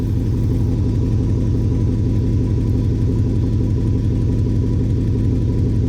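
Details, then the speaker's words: 2006 Chevy Impala SS, LS4 V8, factory exhaust: deep even V8 burble with steady low rumble, no misses, ticks or knocks; healthy smooth exhaust note. "it sounds good factory exhaust but listen to"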